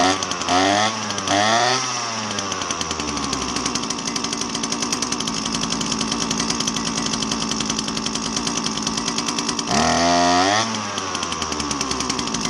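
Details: Husqvarna 322R brush cutter two-stroke after tune-up (had bogged with no power after sitting): blips up and down, then steady even high buzz at full throttle; clean, healthy running.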